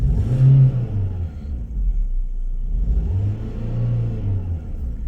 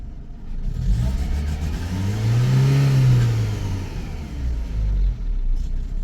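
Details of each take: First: Renault petrol engine after replacing a cheap aftermarket fuel pump with a genuine used one; it had idled fine but misfired on revs from lack of fuel. Now blipped twice, rising and falling smoothly with no stumble or popping: normal clean revving. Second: Renault petrol engine ticks over fine but stumbles unevenly like a misfire when revved; put down to lack of fuel, a fuel pressure regulator or weak fuel pump not delivering enough fuel.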